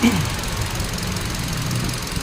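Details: 2017 Hyundai Accent, misfire persisting despite new ignition coil: low, uneven, lumpy stumbling idle with one cylinder misfiring; a coil showed no firing, socket or computer box suspected, not yet confirmed.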